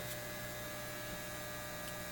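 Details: Lambda bench power supply (repaired) driving a BK Precision 8540 150 W electronic load: steady low mains hum with coarse angry buzz from its transformers, growing much louder at high current draw; cause suspected, not confirmed.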